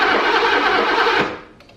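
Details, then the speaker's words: 1985 BMW E24 635CSi, revived after years of sitting, new main relay fitted: starter spins the engine evenly but it never fires; still no spark, pointing to the two bell-housing crank position sensors. "still no spark so main relay is not the culprit and that very quickly brings us to the two crank position sensors"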